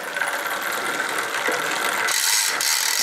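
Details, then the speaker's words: Bicycle pedalled with a really dry chain: repeated high scratchy squeaks with each link turn as metal links rub around chainring, jockey wheels and cassette; dry unlubricated chain needing chain lube. "I don't know if you can hear but it's making a squeaking noise that's the sound of metal rubbing against metal"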